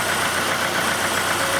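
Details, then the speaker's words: 1991 Oldsmobile Cutlass Calais 2.3L Quad 4 DOHC, warmed up, after shorted injector repair for misfire: steady, even idle with light ticking knock typical of Quad 4, no stumble; not misfiring. "well there it is turn and knocking like a good old Quad 4 but it's not misfiring"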